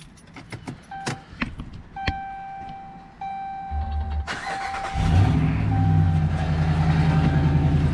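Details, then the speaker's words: 2003/2009 Ram started cold in rain; quick light ticking riding on the idle from an exhaust manifold leak at a broken bolt, sounding like lifter tick, expected to fade as the engine warms; muffler rattle also heard. "So you hear that ticking right there. That is an exhaust leak. You can hear it, look, you hear it on this side."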